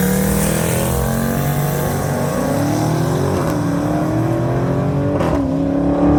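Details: 1980 Trans Am with turbocharged 6.0 swap at the dragstrip: engine flares straight up and holds flat at the limiter instead of pulling down on the shift; automatic slipping in second gear, sprag broken in the burnout; fuel pressure issues too.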